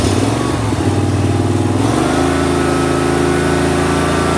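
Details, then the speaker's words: 2005 Snapper ZTR mower, 20 years old, 1,500 hours, after carb replacement for uncontrolled revving, choke open: pitch climbs smoothly on throttle, governor pulls it back down, then steady even run without surging; normal rev response. "that's about normal. See, that's all the way back. I go forward, you can actually hear it decline. You can hear the governor pull it back down. It revs up real quick and it comes down."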